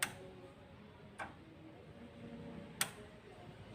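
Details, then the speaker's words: New fuel-cut solenoid for a Kia Carnival diesel injection pump, bench-tested before fitting (original Kia springs are stiffer than aftermarket): crisp single clicks about a second apart as the plunger snaps in and out. Still good. "Oke siap Oke dah jalan ya masih jalan Masih bagus"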